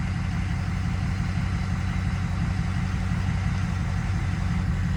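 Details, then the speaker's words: 2006 Ford F-250 6.0 diesel, about 260,000 miles, EGR deleted, just restarted after an HPOP rebuild: steady, even idle clatter with a smooth low rumble and no stumble or misfire. No rough idle on startup, no air in the cylinders. "The amazing thing is, when it started, there was no rough idle or anything. Like, there was no air in any of the cylinders."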